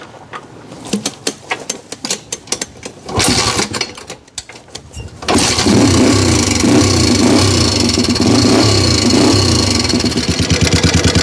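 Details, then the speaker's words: 1987 Honda 250X ATV single after petcock replacement and carb tuning (pilot jet, fuel screw about 2 turns out), before rocker adjustment: pulls over, catches, settles into fast even idle with light ticking on top; loud valve tap, rockers suspected out of spec. "And right now it feels pretty healthy. Still pretty loud with the valves."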